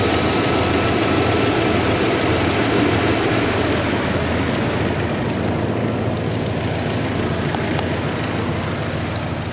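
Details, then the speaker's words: 1994 Dodge Dakota SLT V8 at steady idle after a long start, with no oil pressure reading and the warning light on. Quick, fairly regular lifter ticking has returned; it eases briefly, then worsens. Valve train tick from low oil pressure. "Now, I trust you can hear that lifter noise pretty well. It did actually calm down here for a second, but here in a little few minutes, it is going to pick back up and sound a little bit worse."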